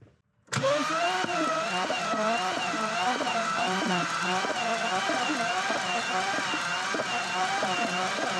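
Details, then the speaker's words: BMW E90 with a seized engine, cranked with no spark plugs after lubricating the cylinder walls and installing a new starter: the starter spins it over steadily with quick even whirring beats and no firing. It now turns much more freely and quickly. "all right this sounds a lot better uh it's starting to turn over much more quickly"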